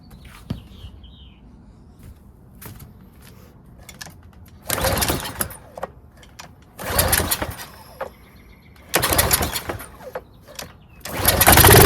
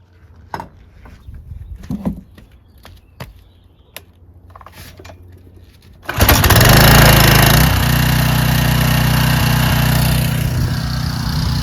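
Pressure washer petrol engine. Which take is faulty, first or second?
first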